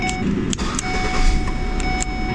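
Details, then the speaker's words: Ford Escape/Mazda Tribute with a no-crank fault (no power at the starter) traced to the ignition switch. Steady engine rumble under a ding-ding chime; it cranks and catches cleanly with no hesitation. "It's weird, I had no power at the starter, but what I found is if I have this on, now it works. There's something going on inside this ignition switch."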